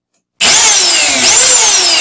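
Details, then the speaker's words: Vacuum cleaner motor clamped in a vise after bearing and carbon brush replacement: spins up instantly to a steady high-pitched whine, no rattle or grinding; healthy smooth-running motor. "यह काम कर रहा है। क्या यह ठीक है?"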